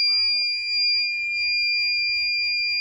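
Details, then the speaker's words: LG VRF indoor unit with corrosion, electronic leak detector waved near it: steady piercing high tone with a weaker upper tone held throughout, alarming at a refrigerant leak. "Whether you guys can hear that, but it does not like that at all."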